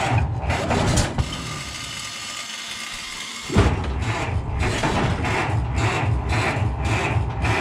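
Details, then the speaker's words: Ford Model T cold start on the electric starter, choke applied: slow, labored rhythmic cranking, a pause, then uneven firing that won't settle; owner suspects flooding, unsure of the right amount of gas. "see the starter it's always even with the charged battery it cranks pretty slow so you want to get as close as you can by hand first nothing yet"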